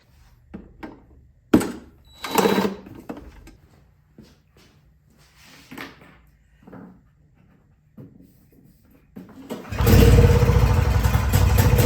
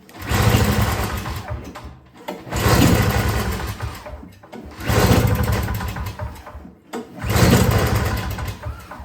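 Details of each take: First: Yard Machines 21-inch single-stage snowblower, two-stroke on 50:1 mix, primed and choked after fuel line work: after some clattering it catches and settles into a steady, even run with no misses; normal running. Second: Yard Machines 21-inch single-stage two-stroke snowblower (50:1 fuel, fresh gas, choked and primed, priming weak): four recoil pulls, each a quick chuffing spin that dies, never catches; cranks but won't start, cause unconfirmed before trying starting fluid.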